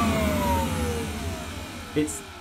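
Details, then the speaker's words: Kirby Classic III vacuum cleaner, unused-looking, first switch-on: shrill high-pitched motor whine sliding down in pitch as it winds off, sharper than normal for a Kirby; suspected fault at the switch end, unconfirmed. "it's got that high-pitched it's not that high pitch scream that you do not associate with Kirby"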